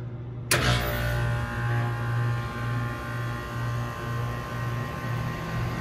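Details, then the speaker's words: Commercial rooftop RTU cycled in cooling mode: steady low hum after start thump, even drone with no knocks or scraping; cooling fine, loud noise traced to faulty inducer draft motor on heat side. "all right cool so cooling's fine"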